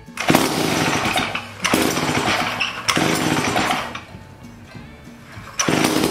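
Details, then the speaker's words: 1956 Eclipse Wasp chainsaw just reassembled after carburetor cleaning: loud, fast buzzing run that surges and sags in waves instead of settling; idle set too high, possibly also running out of fuel at the high-speed setting. "well I got an island way too high let me back that down a little"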